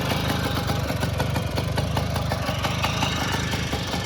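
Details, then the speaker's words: 1962 Zundapp Combinette 50cc two-stroke, original with points ignition, starts on one kick and idles evenly at a quick, steady beat with no misses. A healthy idle. "Nah, sekali engkol langsung nyala. Jadi ini untuk suara mesinnya."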